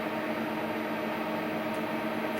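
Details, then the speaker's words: Hardinge CNC turning centre turret after reassembly of tool plate and rear turret, hydraulic solenoid valves checked: steady mid-pitched hum with ringing tone over hiss, turret spinning continuously tight against housing; abnormal turret noise, cause unconfirmed. "yeah now it shouldn't be spinning round and round and round like that tight up against the housing"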